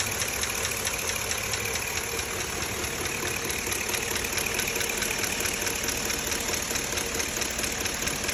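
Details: 2005 Chevrolet Avalanche 5.3 L V8 at 90,000 miles idling: light, sharp tick over the engine, about two ticks a second.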